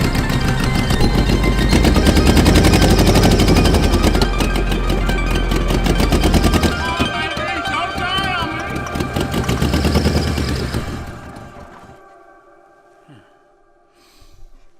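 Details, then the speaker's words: Diesel engine (identified as 12-valve) fed from a new temporary fuel cell in a 4x4 Lincoln, smoking heavily: rapid heavy banging about three per second that fades as it dies; severe knock, engine judged destroyed. ">> I'm going to say this engine's toast."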